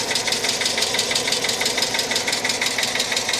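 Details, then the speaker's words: Cheap auction Hyundai Accent after starting up: light fast regular ticking about two per second over a smooth idle, not misfiring; top-end tick persists after running, cause not yet known. "Man, I really thought that once we fired this thing up that that ticking noise was going to go away. I really did. I guess not."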